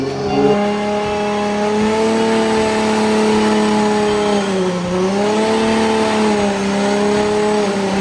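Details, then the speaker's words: S14.9 with a new 2JZ VVTi engine, different head and manifold, on its first dyno power runs during base tuning; a strong, steady high-pitched drone at high revs dips briefly and recovers cleanly with no breakup or misfire. Normal high-rpm pull. "First few power runs, she's sounding nice. Between the different head and manifold, it definitely sounds different."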